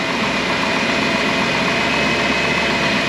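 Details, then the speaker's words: 2007 Dodge Grand Caravan 3.8 L V6, cold idle after transmission filter and fluid service: even idle with light quick ticking over the hum; valve train lifter noise, which the mechanic says is normal for this engine. "no worries it's just the engine it makes that sound lifters it's got some valve train noise going on in there"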